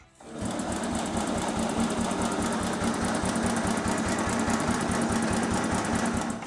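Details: 1963 Bolens Husky 600 lawn tractor single-cylinder engine, first start after long storage on stale fuel: fast busy beat, about four pulses a second, never settling; racing, seemingly not coming off choke (suspected).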